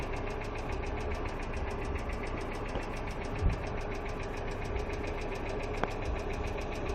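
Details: Hyundai Accent II at steady idle with fast, light ticking over the engine note, typical of noisy hydraulic lash adjusters (lifters).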